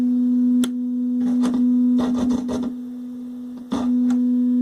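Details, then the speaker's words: General Electric SC2310B 8-track AM/FM stereo with ceramic cartridge input test tone: buzzy, harsh sawtooth- or square-wave-like tone with clicks; one channel distorting, scope shows notch, germanium transistor noise suspected. "there's also some distortion there [Music] yeah shouldn't sound like that almost sounds like a sawtooth or a square wave"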